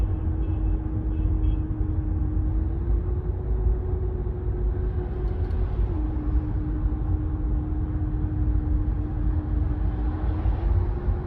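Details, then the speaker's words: 2015 Renault Megane 3/Fluence 1.5 dCi diesel coasting off throttle, before repair: steady mid-pitched drone over road rumble, caused by the stiff original fuel return hose; the fix is a softer replacement hose. "Şimdi şöyle biraz daha net duyuracağım Şu an ciddi bir ultu sesi var gaz vermiyorum"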